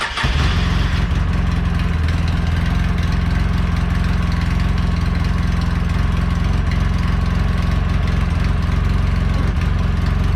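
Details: 2008 Polaris Ranger RZR 800 after fuel pump replacement, primed three times, cranked in neutral: a quick catch then a smooth, even low idle holding steady with no misses or knocks; healthy start and run.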